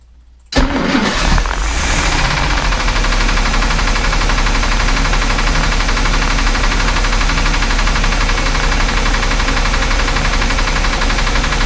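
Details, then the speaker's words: Chris Craft Commander 410 boat, 454 V8 marine engine unstarted for about 10 years, running on 5–10-year-old gasoline at about 1500 rpm: irregular rattling knock under load, owner suspects detonation from the old fuel. "okay well that was odd it was making a lot of noises there like it was uh detonating or something maybe it is um but it's not even that low to set just running at you know 1500 rpms or so"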